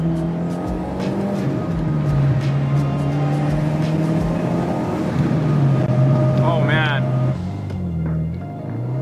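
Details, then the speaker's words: Subaru WRX after diff brace and transmission mount install and misfire/CEL fixed with O2 sensor spacer, pulling from 4500 rpm: deep steady engine drone under load with no stumble, music over it; normal acceleration. "Oh wow. The car definitely pulls a lot. Wow. This is awesome."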